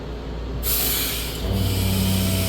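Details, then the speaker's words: Water pump in a 7'x12' flat-front concession trailer, just started up and filling with water. A steady low hum of even pitch follows a short hiss; the pump is running normally. "can hear the water pump is running. That hum means it's working."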